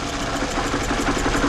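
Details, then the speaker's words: 2012 Scion xB 2AZ engine with a misfire during a coil-unplug test: number one dead and another coil unplugged. Lumpy, uneven idle with a heavy repeating stumble and strong shaking; misfire. "there's also a change the engine is shaking a lot more so I'm going to connect back"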